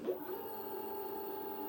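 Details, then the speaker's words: ONVO OV-012 electric scooter with 112 km after accident, replacement hub motor fitted after cut motor cable and smoke, on low charge; steady even motor whine at one pitch, no grinding or clicking; motor runs normally after repair. "sıkıntısı bile hiçbir şekilde az şarjla olmasına rağmen çalışıyor herhangi bir sıkıntımız şikayetimiz yok"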